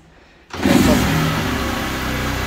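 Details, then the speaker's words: Motorcycle starting after fitting a "silent" performance camshaft: smooth, even run with light revving. Quiet top end, nearly as quiet as the original engine, with no cam clatter. "Olha que mudou o barulho hein tá fazendo barulhinho que o motor original faz é praticamente quase nada né"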